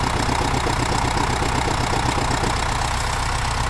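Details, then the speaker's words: 2010 Subaru Forester 2.0 diesel, manual, at idle: a mid-pitched damper-flywheel rattle that goes away when the clutch is pressed, while a duller knock stays. The crank pulley also wobbles. The flywheel fault was confirmed after the gearbox was removed. "Вот такой вот шум в районе маховика, демпфирующий, здесь маховик стоит. Когда выжимается сцепление, этот шум пропадает, один из шумов."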